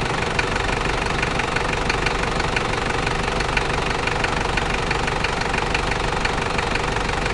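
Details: New 1KZ-T diesel engine idling: regular sharp tapping about two per second above the clatter. Engine knocking at idle, source unknown.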